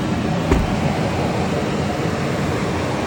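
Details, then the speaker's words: Tesla Cybertruck about 20 minutes after supercharging, AC off, driving: loud steady rushing whoosh like battery preconditioning, cooling fans or compressor staying on and not quieting; owner unsure if normal. "so loud and I've been driving for 20 minutes over 20 minutes probably and it's not getting quiet just still loud"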